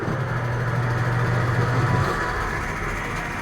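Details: American Home automatic washing machine after repair of no-drain fault: drain motor now pulls, tub turns with agitator; steady low motor hum then even smooth spin, no knocking or grinding; normal spin cycle.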